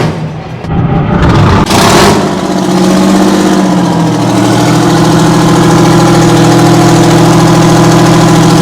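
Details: 60-year-old Massey Ferguson 98 tractor with factory Detroit Diesel GM 3-71 two-stroke engine, after significant restoration: cranks, catches and settles within seconds into a steady, even low drone with no misses, normal idle.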